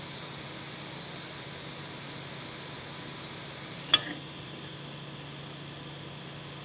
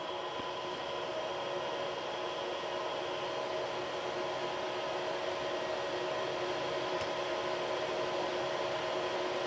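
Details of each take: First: Creality CR6 SE 3D printer after installing quiet Noctua fans in place of stock power supply and motherboard fans, mic on the print bed: soft steady high hiss with one brief click, smooth; noise reduced from about 53 to 49 dB. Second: Creality CR6 SE 3D printer while printing, about 64–65 dB: a steady, airy hum with fixed tones from the stock power supply and motherboard fans. The X, Y and Z stepper motors are very quiet; the fans make the noise.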